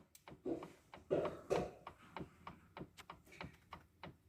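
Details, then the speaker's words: Audi Allroad C5 2.7 steering rack, wheel held still while the steering is rocked by hand: light, sharp, irregular clicks about two to three per second. The pinion gear on the input shaft inside the rack has play. "крути это посильнее вот там вал внутри То есть это звезда люфтит вот на валу"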